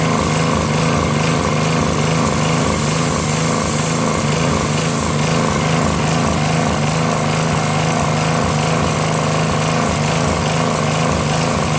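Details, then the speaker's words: Northern Hydraulics pressure washer, Briggs 3.5 hp engine with primerless vacuum fuel reservoir, unused 8 years; after starter fluid start and fixing hose, wand and clogged rusted tip, engine runs steady with pump whooshing under load; normal operation. "so now it's working their mic starts up great I think when you want to start it up in the beginning since there's no primer that kind of starts up good"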